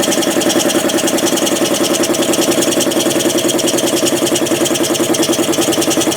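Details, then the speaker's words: Home-built air compressor from spare parts, 3/4 hp motor driving a pump that wants 5 hp, refilled with 30-weight oil, copper coil cooling line: fast even pumping chug about 3.5 beats/sec with hiss of pressure leaking past the piston rings; needs a check valve. "hear that oh the pressure's leaking by the rings i need a check valve"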